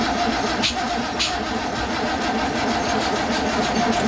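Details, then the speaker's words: Datsun 240Z freshly assembled engine with SU carburetors: steady starter cranking with sharp pops backfiring through the carburetors; ignition timing 180 degrees off with distributor rotor pointing wrong way, plug wires reversed to test. "that's what it sounds like when you're 180 degrees off, backfiring through the SUs."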